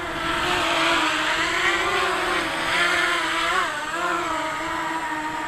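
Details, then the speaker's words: Quadcopter in hover: steady, even motor whine holding pitch with only gentle wavers; no wobbling, motors smooth and balanced. "Alright, so I'm going to let go, and we don't have any of that messy wibbling and wobbling like we had before."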